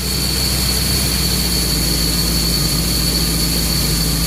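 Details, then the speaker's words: Four Winns 200 Horizon boat, Chevy 5.7L 350 V8 inboard/outboard with OMC Cobra drive, at operating temperature before fogging for winterizing: steady, even drone at slightly raised idle set by ear (tach reads 1000, off up to 200 rpm); smooth, no misses or surges. "i like to bring it up a little bit maybe to somewhere around 500 rpms i know my tax says 1000 but my attack is off by as much as 200 rpm so i'm gonna go by sound here"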